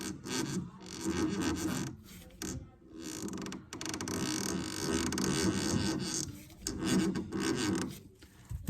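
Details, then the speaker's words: Western Tornado/Fisher Polycaster spreader, electric-motor-driven spinner, which threw a CP fault code and took extra force to spin: dry rasping and creaking as the drive turns. The belt rubs its bottom edge due to sprocket misalignment. "then this sprocket here so the belts rubbing on the bottom Edge"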